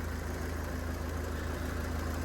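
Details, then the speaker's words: Copart non-runner unrecorded diesel car, gearbox also suspected: steady idle with an even low beat and a constant fan whoosh that never cycles off; radiator cooling fan running constantly, cause unknown. "But in a few seconds, that the fan will kick in and it will just stay on constantly. It won't turn off."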